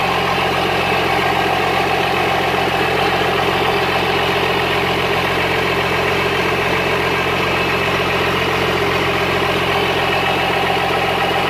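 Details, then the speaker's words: Cummins-swapped squarebody Chevy diesel truck idling after installing dual plastic fuel tanks on a single filler neck; even rapid knocking with no surging or stumbling, not lacking fuel, though it later chugged to a halt and the owner wonders about fuel supply. "it doesn't seem like it's lacking in fuel"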